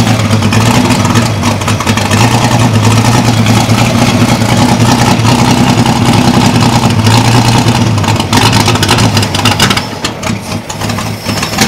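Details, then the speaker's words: Holden 202 petrol six in a converted Caterpillar D2, just restarted after about 12 years: uneven, lumpy running with an unsteady low beat, occasional stumbles and black smoke. Owner suspects the carb needle and seat are sticking open, flooding it rich. "I think the noodle and seats stuck open a bit it's flooding The Bu re but okay"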